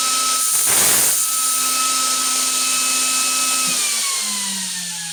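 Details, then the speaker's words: Vevor PCP high-pressure air compressor back in business after repair: steady high-pitched motor whine with even pumping hum, pitch easing slightly as pressure builds. Main noise comes from over the piston head. "it's going in all right it's running [Laughter] and voila back in business with the bevel"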